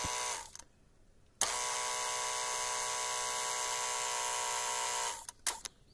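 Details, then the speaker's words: Renault 21 ABS hydraulic pump motor run by shunting the two thick red wires of the black pump relay: about four seconds of steady, even electric motor hum holding its pitch, pump running and charging normally. "Donc là, on entendait bien le moteur tourner et commencer à charger."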